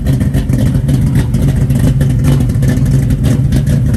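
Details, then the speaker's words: 1972 Chevrolet Nova SS, K code, built 502ci V8 with big aggressive cam, under 10,000 miles since rebuild, 27,493 miles showing, 4-speed manual, dual exhaust; deep choppy loping idle with exhaust popping, typical big cam, not a fault. "Obviously, it's got a big cam in it. Let's listen to this popcorn."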